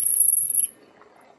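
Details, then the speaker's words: HAOQI Antelope Pro 750W fat-tire ebike during an off-road ride: thin, very high-pitched squeal from the front brake under braking, fading as the brake releases. "yeah there's our squeaky brakes yeah the front"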